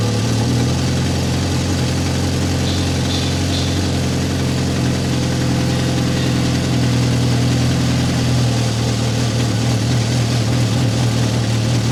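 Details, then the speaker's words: 2008 Ferrari F430 F1 Spider V8, cold start at fast idle, microphone over the muffler: faint metallic exhaust rattle over deep exhaust note, fading as the engine settles. "So, we can hear the uh exhaust rattle a little bit and we'll we'll take this car outside pretty quick so we don't smell at the shop."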